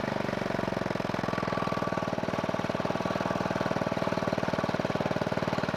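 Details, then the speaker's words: Scooter-engine reverse trike after years sitting, ignition rewired, oil checked, no coolant in it: quick, steady, even firing pulses with no knocks or misses; started really well and runs smoothly. "did you see after the years of sitting how this thing fired up once I rewired the ignition it started really really well"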